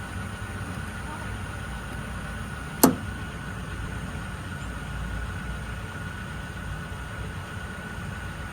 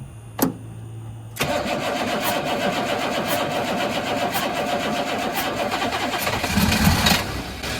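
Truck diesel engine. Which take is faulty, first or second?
second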